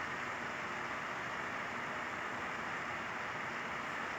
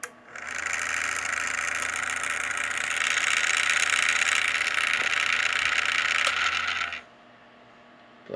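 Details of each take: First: Small cooling fan after a few drops of oil were put on its loose shaft: a steady, even whoosh with the earlier rattling gone, now running smoothly. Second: Small fan spinning up with a harsh, buzzing rattle from play in its shaft (worn bearing), vibrating on start; to be disassembled and lubricated.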